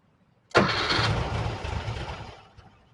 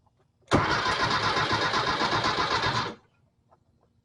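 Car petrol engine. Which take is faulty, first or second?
first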